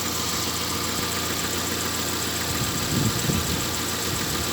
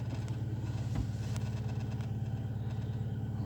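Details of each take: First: Engine with error P0507 (high idle, check light on; earlier held about 1000 rpm) after about 10 km of driving, near-hot: smooth, even idle around 800 rpm, steady hum, no misses or hunting; engine running properly. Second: Car showing P0507 and the check-engine light, warm after 15 km, new idle air control valve and throttle position sensor: steady, even idle sitting high at nearly 1100 rpm; cause not yet found.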